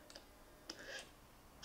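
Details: Mercedes SL600 after repairing driver and passenger throttle actuators, ignition on: soft crisp clicks and brief whirs as throttle plates cycle in sync; actuators and E-gas module working properly.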